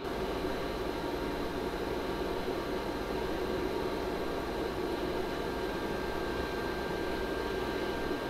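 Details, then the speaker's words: Server room ambient noise recorded on a Zoom H4n with mic sensitivity 40, server and ARAID 3500 backup drive running: steady loud airy whir with a thin constant whistle; noisy stock fan in the backup drive. "okay so that's the ambient noise just coming off of everything the server the backup everything running"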